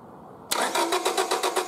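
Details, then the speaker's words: 1999 Honda Civic VTEC SOHC, crank no-start: starter turns engine evenly at five or six beats a second but it never catches; logic probe shows coil signal grounding yet no spark from coil, so coil replacement recommended. "so the signal here does look like it's grounding and I'm not getting any spark out of the coil tire here so I'm gonna recommend a core key"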